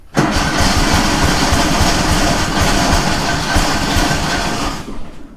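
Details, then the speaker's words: Kohler 18 engine on Walker mower, choke on then idle, brand-new NGK plug: catches and runs lumpy and uneven with an irregular loping beat; running on one cylinder. "it's having a variety of problems one of which is going to make it a little annoying for us to test this but i'd rather be safe than sorry but one of the cylinders i think is not firing"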